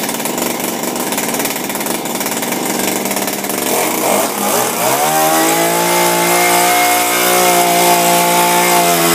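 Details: Refurbished Shindaiwa power broom with new carburetor, gaskets and recoil, no air filter fitted: uneven popping at first, then revs cleanly to a steady high buzz and holds smooth; normal running.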